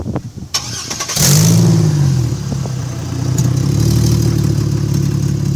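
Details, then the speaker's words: 2002 Chevrolet Trailblazer: cranks, fires and settles to a deep, loud, blatting rumble far louder than stock because the muffler has come off the side of the engine; can cause stalling. "sent this we blew the exhaust off it sounds like it's like"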